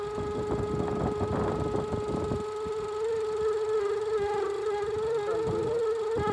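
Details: Range Rover with check-engine light, engine running: steady high whistling howl, loudest at the middle of the intake manifold, not the belt or vacuum pump; vacuum leak from a broken PCV valve hose under the manifold.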